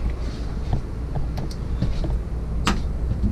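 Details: Coleman RVP Mach basement A/C (6535-671) on a Winnebago, two compressors, after power board and compressor relay replacement, cooling set to 63 degrees: even low fan and compressor hum, no rattles, squeals or short cycling; normal operation.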